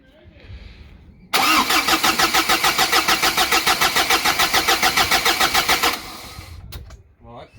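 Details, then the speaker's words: Courier diesel with a newly fitted big turbo, first start attempt while priming the fuel system before bleeding the rail: even starter cranking at about three and a half beats a second for about five seconds, regular compression; normal cranking. "Well, that sounds good. That should be good."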